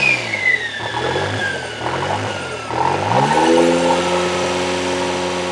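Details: Toyota 3E-TE engine at startup: idle bounces between about 1500 and 2500 rpm repeatedly, then climbs and holds higher near 3000 rpm after light throttle; engine seems to run hot, cause unknown.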